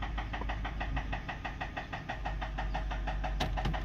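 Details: Ford F-150 5.4 run low on oil, at idle: sharp evenly spaced knocks roughly six a second over a low rumble; rod knock from a worn connecting rod bearing.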